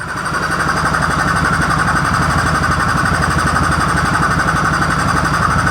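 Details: 2014 Polaris Sportsman ATV, left outside for years and said to have blown its motor, with new battery and ignition switch, no check engine light: single-cylinder thumps at a steady, even idle, about four pulses a second; normal idle.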